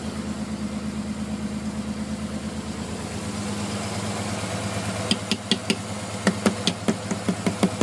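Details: Non-turbo Nissan R33 after sitting two days: hard cranking, then cold idle pulses unevenly with lumpy stumbles and misfires for about 10 minutes until warm; coil packs, injectors, gasket and fuel supply tested fine, cause unknown.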